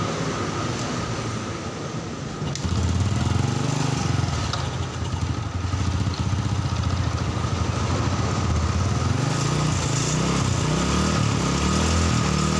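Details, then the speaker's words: Carbureted Honda Supra Fit that died while riding and was hard to start, running on a used test spark plug after a faulty plug: single-cylinder revs rise and sag, lagging the throttle; plug shows black combustion, carburetor service planned. "Nah, motor sudah hidup ya, cuman di sini seperti ada delay di gasnya itu."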